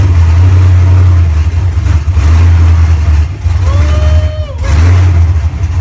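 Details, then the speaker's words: First start of a fuel-injected GM Performance LS3 V8 in a 1970 Nova, fired on the first try without a radiator fitted. Deep, even rumble swells cleanly with quick rev blips and settles back: normal idle and revving. "she fired right off the bat eh another way I like it beats any carburetor any day"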